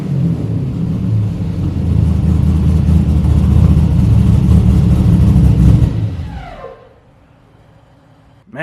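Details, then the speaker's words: 1972 Buick Skylark with a stock 5.3 V8 and cam, revving: deep lumpy rumble climbs strongly, holds, drops back cleanly, with no misses or knocks. The O2 sensor reads as unplugged and is due for replacement to improve running. "this car sounds good. For just a stock little 5.3 with the cam, get that O2 sensor changed, it should run even better."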